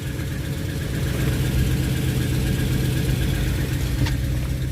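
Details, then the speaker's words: Jaguar with engine cold, coolant reading low: even low hum at cold idle, steady rumble with no knock or tick, brief rev despite being cold; engine sounds healthy. "it's pretty good. Sounds good. Ooh, yeah, that. Well, I'm not supposed to rev a cold engine, but yeah, man."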